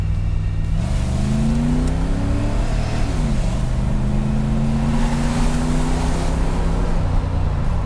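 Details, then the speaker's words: 1985 Chevrolet Camaro Z28 IROC-Z V8 at operating temperature with good oil pressure, manually shifted for more rpm: strong clean pull, pitch climbing through gears, crisp shifts, no misses or knocks; pretty peppy, normal acceleration. "pretty peppy not bad at all"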